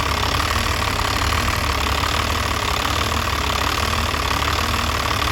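Diesel idling unevenly with a lumpy, irregular beat of roughly one stumble a second over the clatter; rough idle, cause not pinned down.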